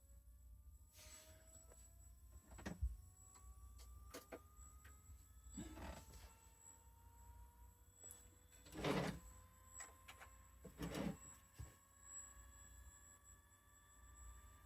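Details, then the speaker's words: Failed hard drive reinserted into a dock: a rising whine as the platters spin up, then a steady spin with no seek chatter and a few handling knocks. The heads are locked in place, so the heads are stuck. "It's just going to sit there and spin. Oh, yeah. That's back to being locked in place though. The driver head drive heads."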